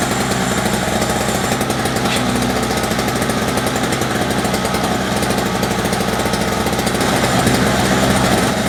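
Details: Toro CCR 2450 two-stroke snowblower, first start after sitting non-running, flooded with gas and very smoky: fast, busy buzz held steady with no load, revs hanging high instead of settling; high idle, cause not confirmed.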